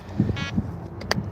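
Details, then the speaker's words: Bite alarms (Sonic Gizmos fishing rod alarms) chirping on their own outdoors: a single short electronic low-battery warning beep from dying batteries that need changing. "yeah, see, they're beeping. I gotta change the batteries because they're all dying."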